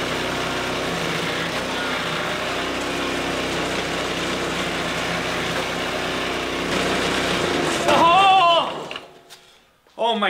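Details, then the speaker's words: Greens iron roller's small single-cylinder petrol engine after full teardown, cleaning and reassembly, belt tension increased and belt cover off; holds a steady, even beat about eight seconds before shutdown, running decently. "so having that belt just in the open air that is scary scary business folks it seemed to run decent"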